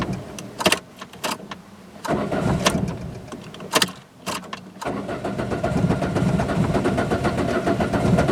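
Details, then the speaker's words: Peugeot 206, thermostat stuck partly open, throttle position sensor giving spiky signal, missing power-steering pressure switch: several short cranking bursts before catching into a rough idle; hard cold start, cause suspected, not confirmed. "so zuka is starting quite bad when it's cold"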